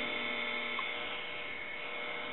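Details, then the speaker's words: Harris TS22 lineman's buttset under repair checkout, on monitor mode with no line feed connected: a quiet, steady hum with a thin high tone and no crackle or clicks; normal. "we'll put it on loud and in with a few minutes it'll shut down because there is no feed"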